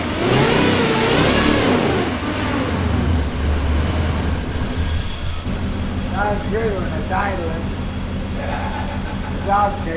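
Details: Off-road wrecker V8 on a stopgap exhaust, warming up with no load: light throttle blips rise and fall cleanly with no stumble. Reversed sensor wiring that gave a bad RPM signal has been corrected, all cylinders pulling evenly.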